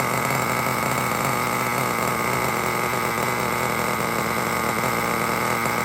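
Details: Traxxas T-Maxx 3.3 nitro engine, converted to forward-only and pull start, on a cold start after replacing the front and rear engine bearings. It buzzes at a steady high pitch with no crunching or grinding, so the bearings sound healthy.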